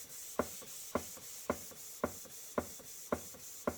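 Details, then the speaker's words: Model 19th-century Mary beam engine, first run in years on compressed air after oiling, run slowly: even puffs just under two a second with soft clicks, no binding or knocking; running sweetly. "If you ever go to a museum and watch the full-size ones running, this would be maximum speed. They don't run very fast at all."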